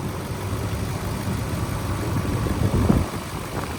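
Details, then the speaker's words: 2010 Nissan Armada Platinum AWD, 5.6 L V8 with 5-speed automatic, recorded at the engine bay; low, steady even rumble with no knocks, ticks, whine or vibration. Normal idle. "So as you guys can tell, nice and smooth running engine, no odd noises or vibrations, very smooth."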